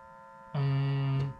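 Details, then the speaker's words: Fan run from an EGO 150 W inverter: a loud, steady low buzz-hum for under a second, then a faint tone; the fan hums on inverter power, more than on the Ryobi inverter, and runs slower than on grid power. "oh there's the humming sound as well but it's it's um the humming sum is lower than ego"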